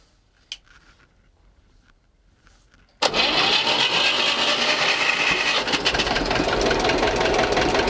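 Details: Old diesel in homemade boat, started by decompressor with glow plug then compression raised: quiet, then catches into a steady, even clatter about four beats a second; oil pressure rising, charging positive. Normal idle.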